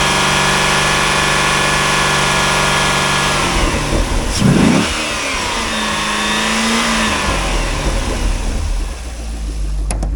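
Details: 2005 Chevrolet Corvette C6 with 6.0L LS2 V8, automatic, Corsa mufflers, warming up at a wrecking yard before part-out: strong steady rumble, blipped and easing back down cleanly, with no knocks; the engine sounds fine.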